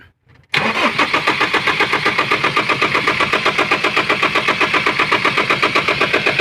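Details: Foton Thunder with low power. The starter cranks steadily at about four compressions a second for over six seconds without the engine catching. Hard starting, long crank, cause unknown.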